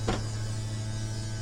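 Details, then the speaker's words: RV toyhauler slide-out extending during spring maintenance: steady low motor hum with an even tone, no grinding or straining, as the seals come out; operator releases the button once grinding or motor strain is heard. "Sounds like the seals are coming out on it. Another thing I do is soon as I hear that grinding or the motor drawing down, I let off the the button."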